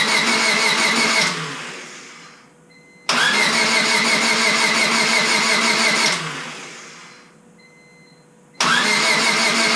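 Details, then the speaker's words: Honda Civic Si after engine rebuild, first start attempt with new battery and distributor installed; fuel pump heard priming, throttle body squirted. Three bursts of starter whirring winding down with no firing; cranks but won't start, ignition suspected. "Oh, another one. Must be ignition. Yeah, it's not even going at all."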